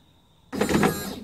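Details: Nissan Patrol driver's door electric window motor, intermittent fault traced to a burnt dry joint at the relay; with the relay bridged the motor whirs just under a second after a quiet pause, then stops; normal window operation.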